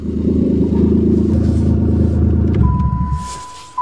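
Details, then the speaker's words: 1989 Dodge Caravan started after sitting about five years, no radiator fitted, possibly low on oil: deep loud blatting rumble for 2.5 seconds, then shutoff; owner suspects exhaust rusted out from sitting. "oh she lives too sounds like the exhaust rusted out since it's been sitting here"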